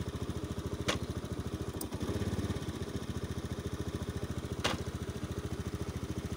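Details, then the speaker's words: Zoomer X motorcycle with accident history, road test: steady single-cylinder beat falters briefly then recovers, an intermittent stumble while turning with a warning light showing; mechanic plans to check the front wiring harness; cause not yet found. "ก็เห็นอาการเบื้องต้นแล้วนะครับเลี้ยวเดี๋ยวแล้วมีอาการสะดุดแล้วก็ไปโชว์ครับ"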